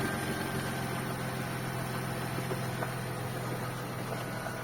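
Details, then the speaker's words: Mercedes W124 with M104 engine, first start after replacing the timing chain and crankshaft pulley, and setting the timing marks to cure a head knock. Steady, even idle with a smooth low hum and no ticking or knocking. Normal idle. "Ну вот всё всё собрано мотор работает первый запуск"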